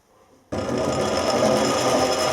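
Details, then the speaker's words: Lathe straight-cut change gears reset from too tight to proper backlash: steady whirring mesh with even rasp, no binding; much quieter than when set too tight, some noise normal for straight-cut gears. "can hear the difference, a lot quieter. They're not going to be quiet because they are straight cut gears, you always get a little bit of noise."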